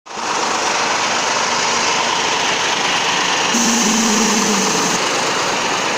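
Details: T-150 tractor diesel after major overhaul: smooth even run with steady hum, no knocks or rattles; normal healthy running.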